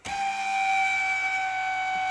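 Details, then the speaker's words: 2016 Mazda CX-5 front power seat: loud, steady high-pitched screech the whole time the seat travels, from the seat drive cable. "And good night, that sounds like a she-beast or a screaming something in there, banshee. And that is not how a power seat is supposed to sound."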